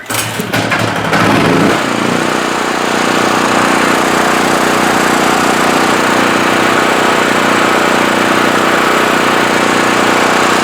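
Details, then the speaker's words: Generac GP5500 generator, repaired after being locked up by a cylinder head/valve fault, restarted with choke on: a few pulls, then it catches and settles into a steady, even drone holding speed; runs properly. "Sounds great."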